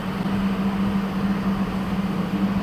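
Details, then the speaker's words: HL 1060Z 100W CO2 laser cutter water chiller just powered on (green LED lit, water level in the green): a steady low hum at one constant pitch under soft fan rush. The compressor runs smoothly and sounds healthy; hot air blows from the back. "And then power on the water chiller. The green LED lit and the water chiller start working. We will hear the sound from compressor."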